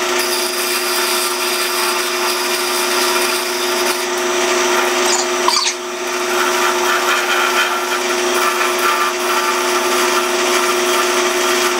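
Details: Pattern-making lathe turning a shortened small wood workpiece: steady, even spin with a constant mid tone and no chatter or wobble pulses; the lathe turns cleanly.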